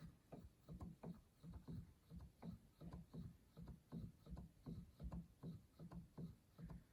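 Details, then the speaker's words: Yamaha G5 grand piano action, treble section: soft even thumps with faint mechanical clatter as keys are played, quiet and normal. Owner suspects jack regulating noise elsewhere, mainly in the middle section and lower. "That's what I imagine the action should sound like. You can hear everything moving, but it's very quiet."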